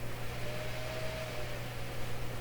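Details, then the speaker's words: Steady low hum with airy rush: a shop computer's cooling fan roaring intermittently, not the Canadian Marconi Model 93 radio being aligned; fans were cleaned with little dust, so software fan control is suspected. "So that's what that sound is anyway. I just want you to know that it comes and goes. It's my poor old hard working computer."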